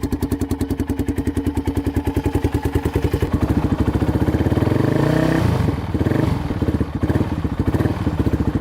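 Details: 2006 Polaris Outlaw 525 quad after carb clean, running outdoors, gauge reading 96°F; single-cylinder thump even and steady, revs rise smoothly and settle, no knocks or misses, strong power. Battery suspected bad. Normal running.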